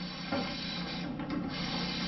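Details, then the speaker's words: Hotpoint Ariston gas stove burner after clearing a clogged injector tube with cleaner spray and an awl: steady even hiss of gas flowing freely, no sputter; gas now feeding normally. "Теперь пробуем, как идет газ. Слышите, газ пошел."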